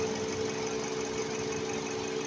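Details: 2023 Toyota Camry at idle after misfire repair (suspected dead ignition coil, parts replaced): steady, even idle with a smooth low hum, no skips or stumbles; all cylinders firing cleanly.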